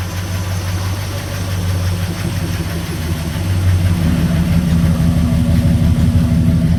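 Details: 1969 Chevrolet C10 with 396 big block, sitting about 20–28 years, first run after setting timing and wiring ignition; deep, even V8 rumble with steady beat firming as revs climb slightly, idling smoothly.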